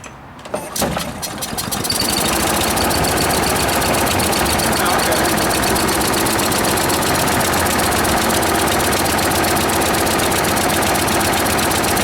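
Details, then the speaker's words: Free small single-cylinder lawnmower engine after carburetor cleaning: catches after a few pulls, then runs strained and muffled only on choke, bogging and won't rev up; owner suspects debris jamming the governor. "yeah so it's running with the choke that you hear it bogging I have a feel I'm going to pull this the Shroud off of here we'll find a bunch of debris on the governor that's causing it not to rev up"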